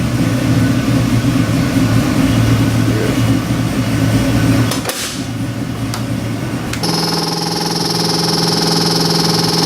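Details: LS3 427ci EFI stroker V8, in a 1956 Chevy: heavy lumpy big-cam idle with steady beat, crisp rev settling back cleanly; normal idle and revving.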